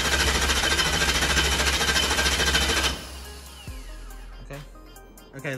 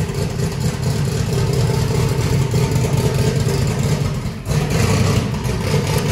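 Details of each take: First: Truck just converted from gasoline to methanol, with a belt-driven fuel pump, cranked with the ignition off to prime the fuel system: fast, even starter churn at about 3.5 beats a second, no firing, then stops. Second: Truck just converted from gasoline to methanol, first start with brake clean: lumpy, deep V8 idle with uneven blips and a brief dip mid-run; firing but running rich, the start tune needs adjusting.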